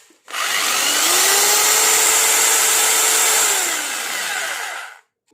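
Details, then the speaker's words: Electric drill after repair of a loud internal rattle, reassembled with its balance corrected: spins up to a steady, even whine, runs smoothly without rattle, then winds down; normal running. "और उसका तो दोस्तों इसके अंदर से बहुत जोर से आवाज़ ए रही थी वह ठीक हो गई और इसका बैलेंस भी ठीक हो गया यह देखिए"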